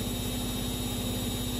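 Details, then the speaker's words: Siemens Runner E14 3R washing machine spinning after its worn shock absorbers were replaced: a steady, even hum with no knocking or banging; the spin is smooth, quiet and normal. "here is the washing machine after repair and as you can hear [Music] absolutely perfect"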